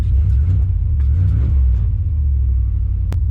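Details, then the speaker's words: 1996 Chevy K1500 V8, cold start days after a multiport fuel injection conversion fixing a P0300 random misfire and fuel in the oil. Deep, steady rumble with smooth swells when revved; cleaner and revs better than before. "sounds a lot more clean even revs up better too"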